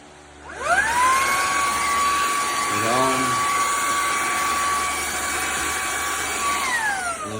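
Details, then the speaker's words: Bissell ICONPet Turbo cordless stick vacuum, fully charged, canister emptied, rear filter checked: whine rises to steady high pitch, holds a few seconds, then winds down and stops; sometimes runs even shorter; intermittent cut-out, cause not confirmed. "off. And sometimes it will go on for even less than that."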